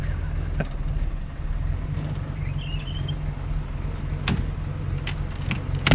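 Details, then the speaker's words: 1933 Hudson Terraplane engine idling: a low, even rumble with no ticks, rattles or knocks. The only noise is the fan belt or fan wind, and the old engine runs quietly and healthily. "beautiful it's just there's not a a tick a rattle or anything I think you can just hear the fan belt going around or the wind from the fan that's what's making all the noise"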